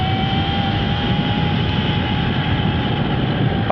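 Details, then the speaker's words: Sur-Ron Ultra Bee electric motorbike with primary chain replacing the belt, riding including high speed: even motor and drivetrain hum with a faint steady whine, sounds different but no noisier than the belt, no clatter or slap; normal chain drive. "But I don't know if it's a volume or just a pitch thing. But however, seems to go all right at high speed. It's, I wouldn't say it's any noisier than just a belt, which is good"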